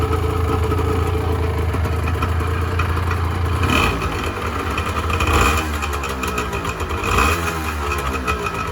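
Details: 1986 Honda NS400R 400cc two-stroke triple, started after 11 months: crisp, popping idle with a few light throttle blips, running even and clean on all three cylinders.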